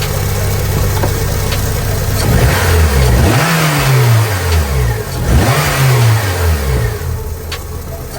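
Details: 2006 Honda Civic Si 2.0L, engine started and revved twice: loose metallic rattle that flares as revs rise and fall; failed timing chain tensioner not tensioning the guide lets the chain slap, timing chain replacement needed.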